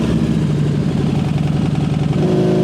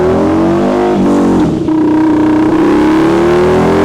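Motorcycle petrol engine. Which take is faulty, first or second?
second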